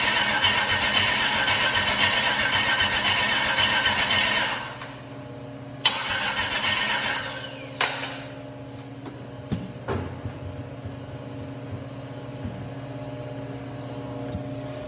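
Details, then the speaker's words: GM 6.0 LS V8 with 150k miles, first start attempt after purchase on a makeshift fuel setup: starter churns steadily about four seconds without firing; no RPM reading while cranking. "all right so for some reason when it's cranking I just noticed that we're not reading any RPM so I'm gonna have to figure this out and see why it's not reading"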